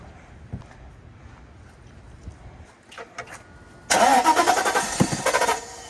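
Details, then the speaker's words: 1997 Mercedes S420 W140 that sat for years, fuel filter refitted, no fuel added to throttle body: slow steady cranking for several seconds, then engine catches and fires rough. "There it goes. Well, it's starting."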